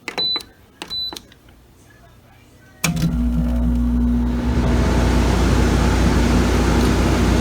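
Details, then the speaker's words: GE window air conditioner, model AEL14AVL2, switched to cool mode after the fan stops: a few sharp relay clicks, then a steady low hum and rumble as the compressor starts normally and pumps cool air. "If you hear that noise of the click, that means the compressor is going on."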